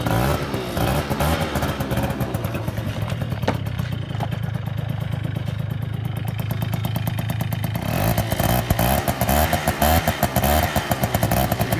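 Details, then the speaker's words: Scooter, likely two-stroke, needing a new belt and limited to 37 mph: buzzy idle and blips with a loose metallic rattle over it; cause unclear. "probably hear that rattling too worried about it"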